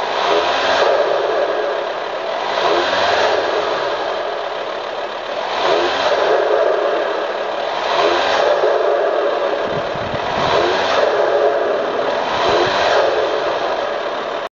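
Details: VW T5 Transporter engine: clattery, rattly noise rising and falling with repeated throttle blips every couple of seconds; odd noise, source not pinned down.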